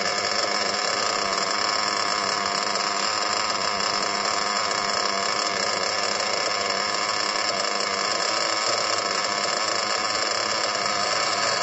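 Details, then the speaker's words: Small RC nitro engine idling after a break-in of two tanks of fuel idled through it. It holds a high, steady buzzing idle with no surging or stumbling, a lot higher and smoother than before. Engine temperatures dropped a couple of times during break-in as it loosened. "As you can hear in the video of it, at the end of the 2 tanks, the idle was a lot higher. The engine idle was a lot smoother."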